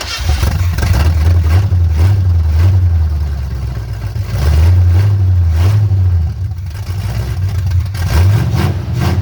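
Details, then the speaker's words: Old engine freshly started, vacuum advance disconnected, firing order checked correct: uneven loping idle, dropping a cylinder now and then; misfire from retarded ignition timing needing advance. "let's fire it up again I need to adjust the timing a little bit it sounds like it's missing"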